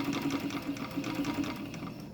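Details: 1951 Singer 66-16 sewing machine, restored and fitted with a new motor; quick, even needle clatter over a smooth motor hum that slows at the end, running normally.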